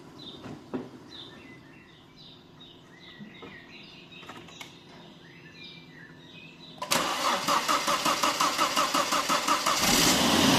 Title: Volvo S60 surging idle and misfire (loose throttle body)